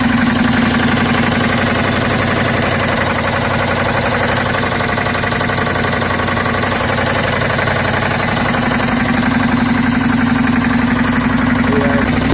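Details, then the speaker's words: 1990 Chevy Silverado V8, about 7,000 miles on the engine: heavy, fairly regular knocking about four a second over a rough idle, with lost power; deep bottom-end knock, owner suspects oil pump failure or low oil. "I think my oil pump went out, and maybe I was running low on oil for some reason, and the truck started knocking, losing power and everything."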